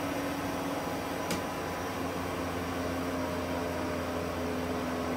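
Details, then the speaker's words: AC recharge, steady soft hum with faint even hiss and no rattles or surges as the compressor draws in charge and refrigerant circulates properly; normal flow. "And you can hear the gas getting around the system properly."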